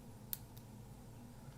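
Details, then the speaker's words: Kodak half-frame camera whose flash stopped working, opened up and powered on: two faint sharp snaps a quarter second apart, circuit sparking and discharging but no flash; owner suspects a damaged flash tube. "Right, it's trying to discharge, but the flash isn't working. So there's the problem."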